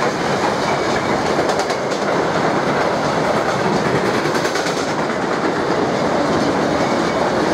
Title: 185 200 mit EZ und lauter Flachstellen